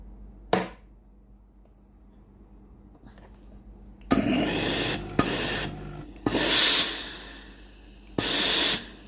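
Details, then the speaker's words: Tefal GV9565E0/23 steam iron after repair (solenoid valve, triac, resistor and valve fitting replaced), pressing the water button: sharp click opening each hissing steam burst, regular every press; water solenoid valve working normally. "มีเสียงโซโลนอยวาล์วน้ำทำงานปกติ"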